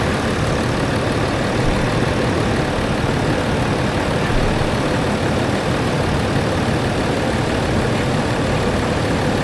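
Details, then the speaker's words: Land Rover Discovery 4 with freshly rebuilt 3.0L SDV6 diesel: even, unbelievably quiet idle holding a constant note, no knocking or rattle; engine sounds healthy after rebuild. "it is unbelievable how quiet that engine is isn't it"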